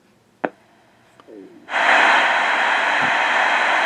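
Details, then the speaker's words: Old Midland 13-510A two-meter VHF transceiver under repair, first power-up on a 12 V supply into a dummy load; after clicks a steady hiss opens about two seconds then cuts cleanly: receiver and squelch working. "oh that's good squelch works"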